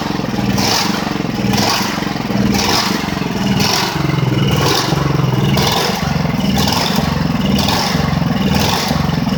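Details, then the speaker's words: Ridgid generator with single-cylinder Honda GX390, after repairs: engine surges up and down about once a second, never settling. Owner suspects a misassembled choke-lever plate. Engine hunting, cause unconfirmed. "lorsqu'elle a fait ce bruit un peu bizarre probablement que j'ai peut-être j'ai peut-être mal remonté la plaque où il y a la tirette du chok."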